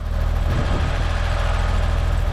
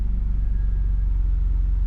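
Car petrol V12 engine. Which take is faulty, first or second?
second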